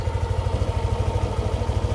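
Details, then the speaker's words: Yamaha Aerox 155 scooter after 2 years, routinely serviced, no error codes: even steady putter about ten firing pulses a second with no knocks or rattles; normal idle, sounding same as when new. "jadi suara mesinnya itu sama seperti saya pertama kali beli masih soalnya sama jalur ada yang berubah"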